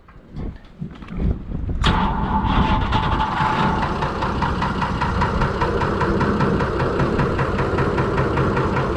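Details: Fordson Major tractor with swapped-in six-cylinder Perkins diesel: fires after a couple of seconds of cranking and settles into a steady, even idle with no knocks; healthy, about 2.5 bar oil pressure.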